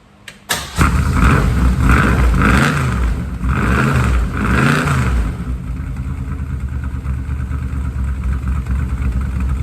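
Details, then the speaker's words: 1967 Mustang fastback (Shelby GT500, real or clone) V8 after valve adjustment: revs unevenly with a lumpy, stumbling idle and no clear rattle; plugs were sooted and gas-soaked from the old adjustment, then replaced. "keep in mind it's not going to sound quite right because guarantee you every one of the plugs is just covered and soot from the way it was adjusted"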